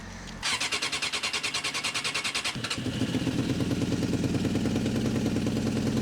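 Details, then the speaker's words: 1989 Suzuki Katana 600 motorcycle, previously needed starting fluid: starter cranks in quick even pulses, then fires and runs loud and raspy with sharp puffing, lawnmower-like; exhaust leak from a hole hidden behind the fairing. "But do you hear how loud it is? Yeah. You can see the leak coming out."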